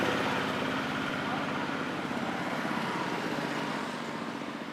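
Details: Small two-stroke earth auger engine that started hard and died when revved, after repair including a replacement sprayer carburetor: buzzes smoothly at steady speed with no stumbling or dying; running properly.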